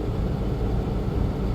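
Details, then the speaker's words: Freightliner M2 bus at idle with a deep, steady roar and a constant heavy fan rush, no cycling; the engine fan is stuck always on, a problem since the summer, and is very loud at 2,000 rpm on the highway. "rently this bus has an issue where the fan the engine fan is always on you might be able to hear it and that gets very annoying"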